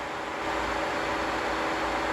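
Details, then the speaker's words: 1986 Ford Mustang SSP, sat since 1996, with a newly wired, fused electric cooling fan switched on: steady airy whoosh comes up to speed and holds even, no buzz or scrape; fan runs healthy. "Beautiful. On and off with the switch. That sounds good too."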